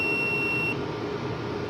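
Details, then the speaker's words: UPS kit overload buzzer beeping in a steady on-off pattern, won't switch on while the overload variable is being turned toward a 700 W setting with 200 W bulbs as load; UPS signalling overload. "जी दोस्तों आपको नज़र आ रहा होगा अभी भी बजर आवाज़ कर रही है।"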